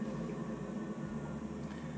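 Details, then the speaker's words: Navien NCB 240 combi boiler after circulator pump replacement, domestic water at 120: low, steady, quiet hum with no rattle, grinding or whine; new pump running smoothly. "is gold in here it's nice and quiet just like we like there you have it we changed the pump now the pump and the combi bore are working perfectly no noise"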